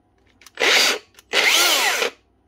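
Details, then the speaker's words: Makita angle grinder, customer reports bad noise and smell, starts in two short bursts with a harsh gravelly rasp; collapsed motor bearing, balls missing, held together only by its seal. "she do start that sounds like a bearing oh God yeah yeah definitely a bearing"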